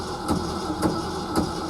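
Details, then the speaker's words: Early-1970s Ford F-350 after about 7 years sitting, first crank in neutral before starting: steady cranking drone with a heavy thump or click about twice a second from underneath; cause unclear. "Oh yeah, do you hear that? It's actually cranking over, but something does not sound too pleasing in there. Let's see, that's neutral. Let's try it again. Yeah, something's making a bad clicking sound, thumping sound under there."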